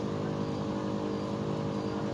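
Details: Outdoor inverter box of a three-year-old Bosch Climate 5000 split air con on heat setting: steady low drone with rough buzzy edge and vibration, separate from the quiet fan; compressor suspected of running louder than normal.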